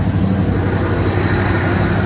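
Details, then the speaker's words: Vehicle engine after the exhaust manifold was resurfaced at home and refitted: steady, even low idle rumble with no ticking or puffing; the manifold leak is fixed and it idles normally. "Fire it up here and see how she sounds. Much better."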